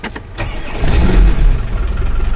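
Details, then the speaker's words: Land Rover Defender overlander diesel, after overheating on the motorway and a suspected head gasket failure: brief crank, catches first turn of the key and settles into a steady deep idle; healthy start, though a diesel leak is present. "right so it started first time literally first turn it keep it started however we got a diesel leak"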